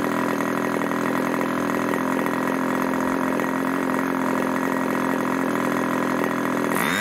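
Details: Irvine 40 MkII 1980s ABC glow engine, 10x6 Master Airscrew prop, 7% nitro 20% oil fuel; steady high even scream at constant speed, no sag or misfire, then clean cutoff; needles tuned after running rich, about 12,300 rpm max; normal high-speed run.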